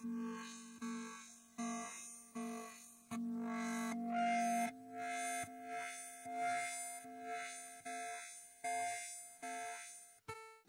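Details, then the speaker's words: Commodore SID sound chip #4 running the three-voice tone and filter test program: choppy, garbled notes with harsh buzzy edges, meaning the chip is bad. "yeah that sounds a little screwed up that was the number four chip and on my list here i wrote that one down as just all screwy"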